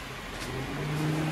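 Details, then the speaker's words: Car engine idling with the radiator fans switched on through the relay bypass switch: a smooth whirring hum comes in and settles on a steady pitch. Radiator fans running. "to The Voice those are the fans running and you can take your car anywhere you want now"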